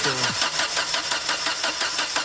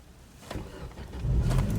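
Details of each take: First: Chevrolet Lacetti hard to start cold in the morning: long rhythmic starter cranking before it catches into a rough idle. Fuel problem suspected, cause not confirmed. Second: Chevrolet Lacetti that struggles to start cold (owner suspects a fuel problem), here started slightly warmed up. Clicks, then a quick catch into a steady idle; normal warm start.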